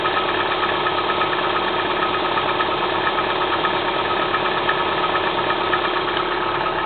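Cold idle with an uneven knocking tapping through it, nearly three beats a second and not quite regular, a knock when cold.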